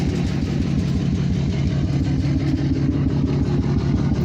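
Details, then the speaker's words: Chevy truck "Dirtymax" idling at night after months with a dead battery, heard at the 8-inch exhaust tip blowing steam, believed to be on seven cylinders; deep, rough, uneven puffing pulse about three per second; blown head gasket. "So my 8-inch tip, blowing that steam. Sounds like a pissed off Dirtymax, but nope. She's not a healthy truck. She's a sick truck."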